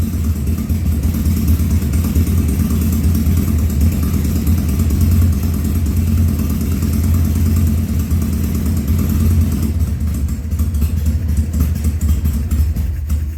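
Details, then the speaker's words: 2000 Harley-Davidson 1200 Sportster, first start after carburetor rebuild and leak fixes, air cleaner off: deep steady idle holding even over ten seconds, no coughing or popping; runs cleanly so far. "there you go that's uh the first start after the carburetor rebuild and so far so good"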